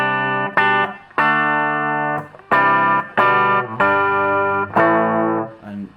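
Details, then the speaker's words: Dallas Scala single-ended guitar amplifier, after repair and back in its case: clear sustained guitar chords ring out cleanly; the hum and the rattling breakup tone are gone, and only background white noise remains. "you can hear now it's much quieter the humming's gone we've obviously got the white noise in the background"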